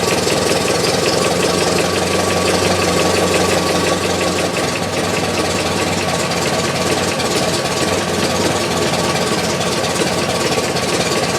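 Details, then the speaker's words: Idling engine recorded inside the firewall: fast, uneven knocking under the engine note, also heard under power when accelerating or cruising; source location uncertain, maybe not the back of the engine. "But I can also hear it under power going down the road when I'm either accelerating or just cruising along."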